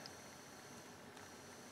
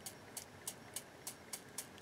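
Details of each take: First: Philips EL-3302 portable cassette recorder after repair with a new tire and a cleaned pinch roller: rewind gives a faint even hiss and a thin steady tone, with no scraping or flutter. Normal quiet, smooth rewind. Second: Philips EL-3302 portable cassette recorder, pinch roller with a flat spot, spun by hand before lubrication: faint, evenly spaced scratchy ticks about four per second. It sounds dry and needs lubricating.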